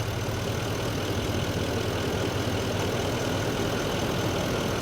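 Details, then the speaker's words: Diesel truck at idle after fuel-system repair following a gallon of DEF in the fuel tank, with injectors reprogrammed: steady, even clatter with no misses, knocks or hunting, sounding like a brand-new truck. "Sounds like a brand new truck again."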